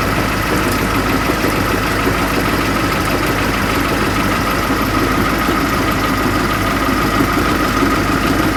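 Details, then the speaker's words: Transit Liner bus diesel idling raised slightly: constant gritty growl with a thin whine on top from the fan drive; worn bearings and gears in the fan-drive bevel gear mitre box. "Hear that fan hub though? That belt has actually been touching my mouth. That gearbox for the fan? I'm not gonna like my answer, but I think that's the mitre box."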